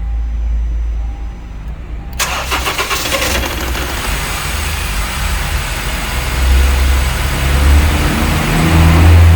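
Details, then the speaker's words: 2013/14 Honda Civic 2.0 petrol: brief, heavy, laboured crank with a fully charged battery before the engine catches and settles into a low throb; starter motor is dragging and needs opening and cleaning. "é o motor de partida realmente tá pesado bateria agora tava com carga plena"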